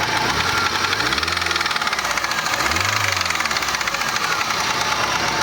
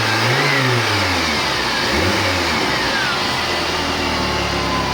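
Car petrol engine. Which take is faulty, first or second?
first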